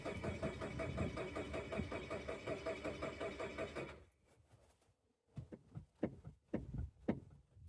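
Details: Chevy Tracker fuel pump listened for at the rear after replacing its connector: about four seconds of even starter cranking with no catch, then silence and a few clicks; crank no-start, fuel pump still gets no power.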